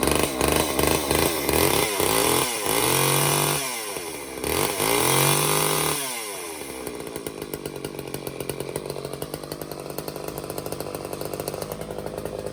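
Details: Old Craftsman chainsaw after Walbro carb clean/rebuild and new fuel lines, jets opened up, half choke: a few rough pulls and bursts of revving, then settles into a steady, even idle with a quick regular beat while burning off old oil; normal idle.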